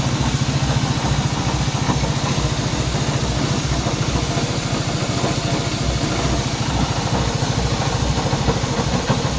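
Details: Honda CB190R single idling with a busy, uneven rattle riding on the beat, about three a second; abnormal noise inside the engine, source unclear.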